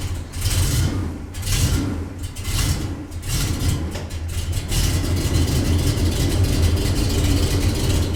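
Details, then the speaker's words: 1974 Corvette 454 V8 just out of winter storage, carbureted: big idle lumping, stumbling and surging with uneven beats; running really rough, spark plugs found with heavy carbon buildup (fouled), replaced with oil change. "It was running really rough when I started it up and pulled it into the garage, and I can see why, because these are not happy."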